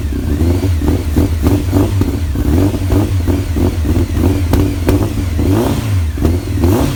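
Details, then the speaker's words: Honda Fireblade four-cylinder, off the road over 10 years, after carb work, starts and revs cleanly in repeated blips with strong low drone rising and falling with throttle; bit smoky but runs well. "Wow, that sounds [ __ ] mint. bit smoky but uh it's to be expected in it. I think it's been off the road over 10 year but that that started beautiful."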